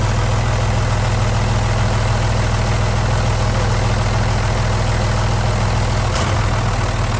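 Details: Boat Velvet Drive marine transmission, clunk being investigated with the engine mounts getting old: steady low engine rumble, then one sharp clunk about six seconds in as the gearbox engages; the spline coupling had loosened before, cause unclear.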